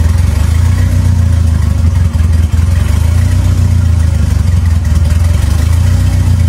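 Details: 2.3L turbo four Lima-swapped into Smokey on PIMPX batch-fire engine management, warming up for base timing check; even, steady low drone with smooth revs, no knocking or misfire; normal running.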